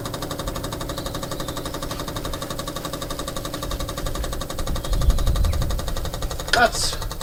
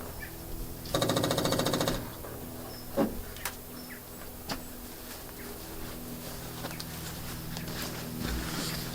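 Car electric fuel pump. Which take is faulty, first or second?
second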